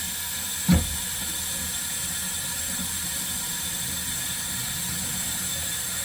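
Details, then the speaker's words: Sink pop-up drain after repair, during a leak test with the basin half full: a thump, then a steady, even rush of water with no gurgling or dripping; no leak, and the drain flows freely. "Yeah, no leak. No leak? No leak."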